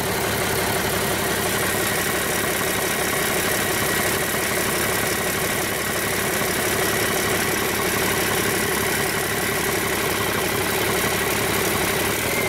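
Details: Rebuilt 8.3L Cummins diesel for a Hyster 15K forklift, first start after bleeding air from the inline injection pump fuel system: steady even idle clatter with regular beat, no misses or knocks; runs great.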